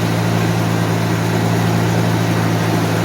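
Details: 1991 Mercedes 190E after hydraulic lifter replacement, fully cold start, fast idle above 1,000 rpm: loud steady even low drone, no ticking or tapping; lifters quiet, loudness attributed to suspected small exhaust pinhole or seal leak; normal cold fast idle.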